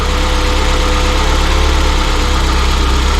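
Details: Peugeot 205 GTI, fully rebuilt engine just after its first start. Steady, even idle with a smooth low rumble and no knocks or misses; runs cleanly.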